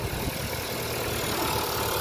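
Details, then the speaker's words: 2010 Audi A3 1.2 TFSI petrol, 6-speed manual, 61k miles: steady idle with faint light tapping over the hum, matching a 25,000-mile Audi petrol; normal engine sound, the tappiness is only the sensitive microphone. "So they're both the same. So it's not the, it's not the engine at fault. It's just the way the camera and the microphone's really good."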